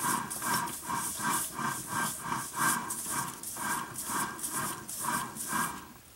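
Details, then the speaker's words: 1999 Jeep Grand Cherokee Laredo NP247J transfer case on the bench, partly disassembled: irregular sharp clicks, two or three a second, when rotated by hand; owner suspects it matches the growling/whining heard while driving, possibly bad ball bearings, unconfirmed. "I'm wondering if that noise is the sound that we were hearing when we were driving the Jeep."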